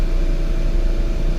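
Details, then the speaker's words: 2011 VW Tiguan 2.0L turbo that cranked but wouldn't start (code 01259 fuel pump relay open/short to ground) now running: steady, even low rumble with no misses or knocks once the fuel pump gets power and fuel pressure returns. "see if we can start this car up without falling there we go now the car's running"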